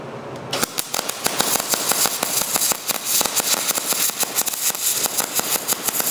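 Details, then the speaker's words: Small MIG welder with wire speed and voltage settings only, wire speed set slow at around 30–40: irregular sharp pops and crackles over a hissy arc, about six a second, arc burning back into the gun, giving porous, unpenetrated welds. "you could hear how that had that popping sound it just sounded like it was going back up into the gun which it was"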